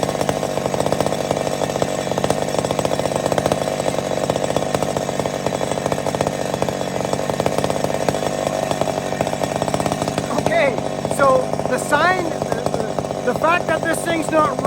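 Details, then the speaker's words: McCulloch Super Pro 70 chainsaw after fixing the pulse line (suspected gasket sealer blockage), mixture fattened slightly: it holds a steady high rev without hunting and bogs slightly in the cut. It now runs properly. "it's a sign that it's fixed we got it it was something to do with the pulse line i think there was some gasket sealer or something in there"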